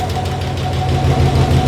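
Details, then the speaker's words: 1964 Chevrolet Biscayne, first start of a motor that had probably not run in about 10 years: rough idle with quick even ticking about seven per second from the top end, valve/lifter noise, lifters still pumping up after sitting. "It lives. Little bit of valve noise. Not running too smooth, but this motor hasn't ran in probably 10 years."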